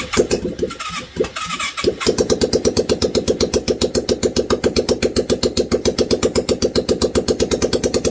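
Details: 1989 Yamaha Virago 535 V-twin, first start after 4 years parked, no exhaust, full choke: rough cranking catches into an open-pipe pop about four beats a second, steady and even; running fine.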